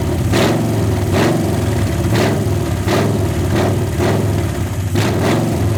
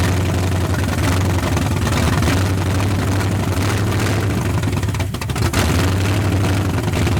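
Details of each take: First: 1981 Ford Mustang 302 V8, automatic, open headers, 14-year-old oil, about 50 psi, no radiator, long parked: lumpy idle with a sharp tick about once a second; lifter chatter, owner suspects unpressurized lifters, a flat cam lobe possible but doubted. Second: 1981 Mustang 302 5.0 V8 with automatic, parked nearly 30 years, running on 14-year-old oil with nearly 50 psi oil pressure and no radiator: deep, even idle with smooth steady beat, no knocks or ticks; sounds tight, like a low-mileage engine.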